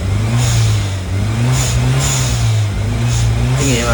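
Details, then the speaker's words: 1996 Toyota Starlet with Glanza V conversion, stock 4E-FTE turbo, 5-speed manual, exhaust valve (Valvetronic) on. Deep bass rumble from the exhaust tip rising and falling cleanly with each throttle blip, smooth and even; healthy turbo exhaust. "මම දැන් පෙන්නන්නේ Valvetronic එක on කරලා. ඉතින් ටික හොඳ bass rumbling එකක් තියෙනවා. exhaust tip එකෙන් තමයි sound එක ගොඩක් මෙන්නේ."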